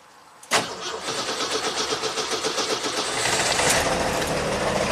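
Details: 1985 Jeep CJ-7 Renegade with Holley Sniper EFI, after disconnecting an alternator wire that kept the engine from shutting off: quick crank, catches at once, steady even idle with no misses, charging at 14.4 V; normal start and idle.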